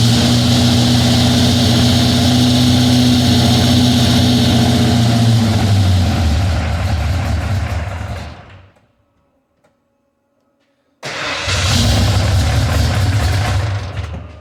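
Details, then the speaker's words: Ford F-150, 351 SBF bored 30 over, aluminum heads, long tubes: steady rapid valvetrain ticking over the V8 as it revs and settles, across the whole rev range; ProForm roller rockers. "Well, now that we got these rockers off, I can kind of see maybe why they're kind of noisy. I don't know if you can see that, but the poly locks are actually rubbing on the inside of some of these rockers."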